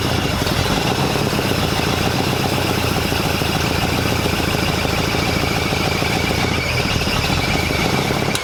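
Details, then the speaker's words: Freshly rebuilt engine running: a rough, busy clatter with a faint high squeal, at first thought to be the water pump with a new belt. It was actually a spun rod bearing just before the engine blew with a bang. "right here you can hear that squeal and at the time i kind of thought it was the water pump where the belt was just on but i can definitely tell now looking back at it that that was the one the bearing i spun a bearing right there"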